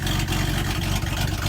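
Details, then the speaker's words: 1929 Buick Standard Six with backfiring, sluggish running and leaking exhaust manifold gasket: low uneven exhaust chuffing swelling and dropping on throttle as something opens and closes; intermittent blockage, suspected clogged muffler or exhaust pipe. "Anyway, you would think it would be louder than that, but something opened up and you can hear it now. Yeah, something opened up. You could hear it just then. See, there it went again. It should be that loud."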